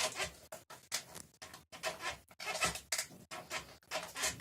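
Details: Kugoo S3 electric scooter rear suspension pushed down repeatedly gives sharp, high creaking squeaks about twice a second; it needs disassembly and lubrication.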